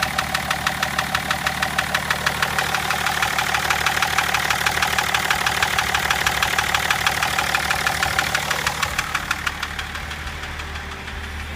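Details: BMW M57 diesel idling with a sharp, steady knock about three times a second; owner says it started knocking at about 240 km/h.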